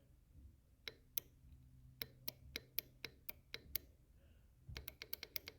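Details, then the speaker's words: 2003 Honda Civic VTEC solenoid bench-tested with 12 V and ground after VTEC failed to engage and the car bogged: sharp crisp click per tap in irregular bursts; solenoid works, fault lies elsewhere. "if you hear that every time you tap it the mean the cylinder is good so if you have a big problem definitely not the solenoid"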